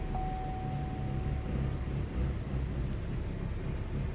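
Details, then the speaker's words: 2012 GMC Acadia that cranked but would not start (P0689/P1682, ignition relay feedback circuit low voltage): feedback returned to 12 V. The engine now starts and idles low, smooth and even with no misses or knocks; normal. "ايوه اشتغلت السيارة تمام."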